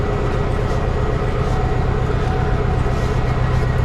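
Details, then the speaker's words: 2002 Chevy Suburban 1500 flex-fuel after in-tank fuel pump replacement for intermittent cut-outs: relay clicks, pump kicks on, then steady engine drone with no stutter or dropouts; it runs normally. "let's go ahead and start it okay i heard the relay click and i heard the pump kick on"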